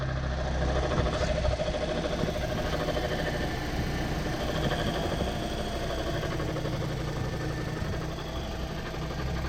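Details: Toyota Corolla petrol engine idling: low rumble with faint steady whirring growl from the alternator; both alternator bearings defective, one binding and one roaring, replaced to cure it; alternator bearing noise.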